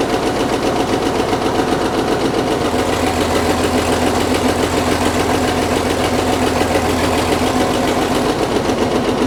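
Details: Caterpillar D6 9U diesel idling with a steady knock about 3.5 per second over heavy clatter. A leaking injector is suspected; the knock was later traced.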